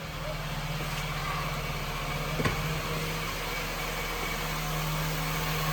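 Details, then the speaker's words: 2013 Honda City (TMO) with an idle problem, after new spark plugs and a cleaned intake air sensor: even, steady idle hum just above 1000 rpm with no dips, stumbles or misses; idle holds stable. "RPM. Okey, RPM melebihi satu nampaknya. Stabil, stabilis. Kita tengok dulu."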